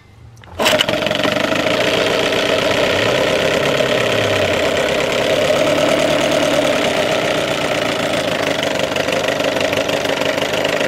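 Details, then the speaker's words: Evinrude 6 HP outboard, about 1978, warmed up in a test tank after a hard-start and rough-idle fix: fires instantly and settles into a steady, even two-stroke buzzing idle. "awesome starts like nothing and i'm telling you last summer i could barely get this started"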